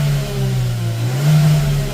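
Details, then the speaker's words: 2020 Hyundai Tucson 1.6 turbo GDI, about 100,000 km, after replacing one ignition coil and all four spark plugs: deep, even rev rising and falling smoothly with no popping or breaking up; the misfire is fixed. "It's ripping out clean. It's not even breaking up. So all I did was replace the coil, 1 coil, and 4 plugs."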